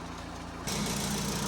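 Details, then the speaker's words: VW T25 camper TDI diesel after gearbox refit: steady idle rising with throttle, no unusual knocks; earlier knocking gone, slight rattle and noisy alternator belt idler, no major noises. "it's not that noise it is what it is there's no major noises apart from what I've used"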